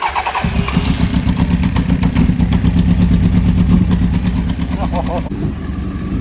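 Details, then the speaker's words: 1992 Honda Fireblade under restoration, first run after fixing its new fuel pump, during a leak test: it cranks briefly, catches within half a second and settles into a steady low burble. A fuel leak was found afterward. "Wasn't that cool just to hear it burble a little?"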